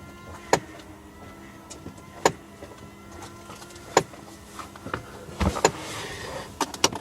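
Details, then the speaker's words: Mercedes with the parking brake light staying on: a sharp dry click repeats about every 1.5 seconds from the solenoid behind the dashboard; the fix is adjusting out slack in the parking brake pedal with 8 and 13 mm spanners. "also hear that clicking noise that's undergoing another video showing you how to fix the solenoid buying the dashboard that's clicking"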